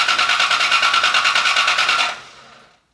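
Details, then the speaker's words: Rebuilt Cobra engine, first start attempt, fuel pressure 55: even starter chugging at about three beats a second with no firing. Distributor was out of time; pulling, resetting and refitting it made it fire right up. "we assumed that the distributor was in the right place but it was not so simple easy fix pull the distributor reset it put it back down and it immediately fired right up"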